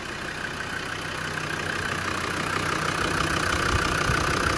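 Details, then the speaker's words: Land Rover Defender 90 Td5 diesel after top-end rebuild and redone head gasket, valves adjusted: steady even idle about three beats a second, slowly firming up, no valve-gear tapping; sounds healthy. "It doesn't sound tappety, it sounds healthy."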